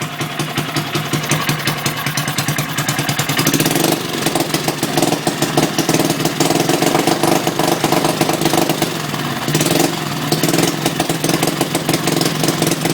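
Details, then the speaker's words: Antique 1959-ish Briggs & Stratton 2HP after a complete rebuild, wrong plug, no filter or pipe, restarted after stalling. Fast-idle popping, slightly uneven with occasional surges; runs not too bad but still needs carb tuning; fuel leaking. "it's not running that bad but it still needs uh some carb tuning and stuff"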